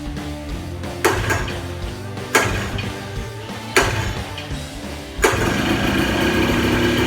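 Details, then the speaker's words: 1982 Yamaha Tri-Moto 175 that had sat a long time and would not start, after carburetor cleaning, clear fuel lines and fresh gas: a few sharp starter pulls, then it catches and settles into a steady, even run; normal running. "Well, it's running good now, so that's how you guys can diagnose a no start."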